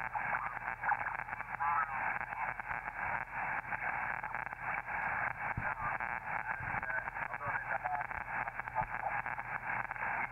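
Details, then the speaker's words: Elecraft K2 transceiver tuned on the 40 m band with an antenna after final alignment, noise blanker not yet installed: steady hiss with sharp irregular crackles and pops from neighborhood electrical interference, but the radio works. "so that crackling that sounds like really bad static is just noise from electrical interference in my neighborhood unfortunately but the radio is working"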